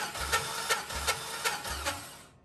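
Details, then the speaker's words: Cold compression test on a 140,000-mile cammed 4.8L LS, throttle held open: even starter cranking with regular pulses about three per second, no skips; about 145 psi; normal cranking compression. "tighter so that's just under 150 probably 145 there so not terrible going up a little bit but that'll work"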